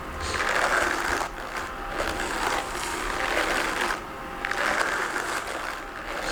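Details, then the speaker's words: Homemade drum carder converted to electric, LiFePO4 battery-powered: a scratchy rasp swells and fades about once a second as the drum turns; teeth rub at one point because the drum, made of damp wood, went out of round drying. "The rubbing you can hear. These teeth, they shouldn't really be touching, but the drying of all the wood, because I used fairly damp wood, has made this not quite circular, so they just touch in one point and then don't in another."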